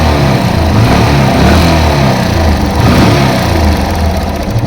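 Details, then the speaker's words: Yamaha FZ-S engine running and revving, noise from top of engine, louder while riding: light ticking riding over the engine sound; diagnosed as tappet clearance issue, tappets to be adjusted. "तो चलने के टा और ज्यादा sound करता है दोस्तों तो कस्टमर जो है ये साउंड जो है कान के ऊपर लगता है तो क पर ऑफ कर देते तो दोस्तों यह ट फीट का इशू है टा फीट को हम एडजस्ट करेंगे"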